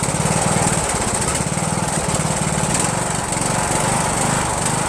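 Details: Rebuilt Briggs & Stratton 17.5HP engine (replaced two broken balancer counterweight links) repowering a Yard Machines lawn tractor, first start on choke, no belt pulley: choppy, uneven chugging coming and going in patches; rough running, owner suspects carburetor/mixture.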